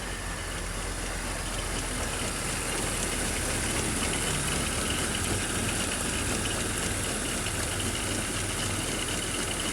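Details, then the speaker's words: 2005 BMW X3 (M54 engine) at idle: rough chattering rattle and grinding from the front of the engine; serpentine belt tensioner worn and wobbling, heard also via screwdriver on tensioner. "As you can see, the tensioner is wobbling around and it's also making a lot of [Music] noise. Now, we're going to use a more scientific method to let you hear the noise. Putting a screwdriver on the tensioner. You can hear the vibration and all the grinding that's coming out of it."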